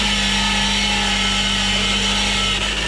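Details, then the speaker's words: 2015 Ford Fusion hybrid, engine running: steady high even whine without letup, resembling a power steering pump but from the transmission. The customer reports it sounds like a bad bearing inside the transmission. "the customer complained is that it has a like a noise coming out of the transmission. Kind of like a like if a bad bearing like like there was a bad bearing inside transmission."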